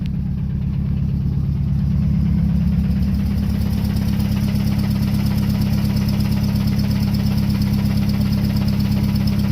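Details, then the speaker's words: RX-7 with SR20VET swap, idling in neutral after letting go near 7,500 rpm redline with misfire: deep regular knock keeping time with the crank; rod knock, not transmission, with a dead cylinder, engine blown, to be swapped. "Well, we also have fucking rod knock. How about that? That's not my transmission."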